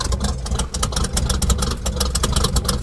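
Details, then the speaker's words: Chevy cold start: the engine lopes with a deep, uneven burble, idling so slow it sounds close to stumbling; the owner says the idle is set too low. "I just fired it up. Yes, the idle is too low. I know it is."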